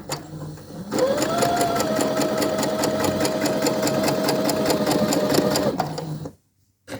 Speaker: You obviously put your foot on the machine pedal and away you go.